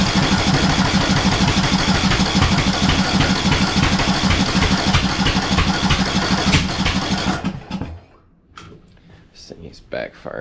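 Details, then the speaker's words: 2014 Ariens (Husqvarna) 42-inch riding mower: rough lumpy chugging with sharp backfire pops; ignition timing badly off because replacement flywheel's keyway wasn't checked against the old one, owner first wondered about fuel or stuck valve. "what I didn't do earlier was my due diligence to really inspect the old flywheel versus this one"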